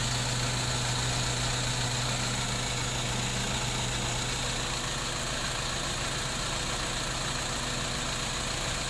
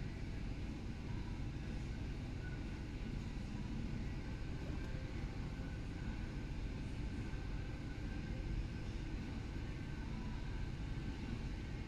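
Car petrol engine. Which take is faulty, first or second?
first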